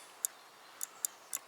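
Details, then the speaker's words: BMW K75 motorcycle brake light switch, bench-tested after cleaning its mechanical parts instead of buying a new one: five crisp, sharp clicks in under two seconds over a quiet room, snapping over properly; clicks just fine now. "so I'm just gonna test and hear if it clicks not sure if you can hear that but clicks just fine now"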